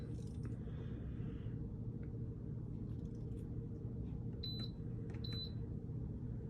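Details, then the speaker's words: GoWise air fryer after a permanent repair to a broken power-circuit wire, newly fused, first test on manual at 250 for 5 minutes: quiet steady fan hum with two control beeps, no smoke; runs normally. "And we hear sounds. No smoke yet."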